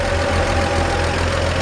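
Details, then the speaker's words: 1947 Chevrolet 3100 pickup, original 216 inline-six, 12-volt conversion with new alternator: even steady low rumble idle with light lifter tick and faint squeak, maybe belt or humidity after rain; engine healthy. "But you can just hear the lifters in there. It's just nice and healthy."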